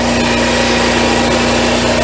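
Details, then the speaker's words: Coachmen Freelander 31BH RV generator, gas-fed from the RV tank, after priming and holding start: loud, steady drone with constant tone, no surging or misses; running smooth. "you're gonna hit the start button and you're gonna hold it and listen and you can hear when it's running and now it's running smooth i let go of it no problem"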